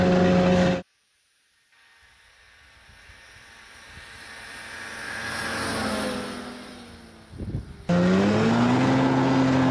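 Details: 1991 Arctic Cat Prowler 440 two-stroke snowmobile after revival: carbs checked, fresh fuel, throttle safety switch bypassed, earlier one-coil miss resolved. Crisp, even note swells as the sled passes, then settles into a steady drone with no misses. Flawless after about an hour's riding.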